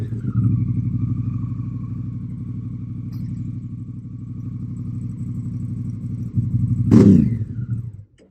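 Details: Honda CRF Africa Twin, started after sitting two months: loud, open, thumping twin idle with a sharp rev blip; the silencer's baffle came loose and fell out, so the exhaust is far too loud.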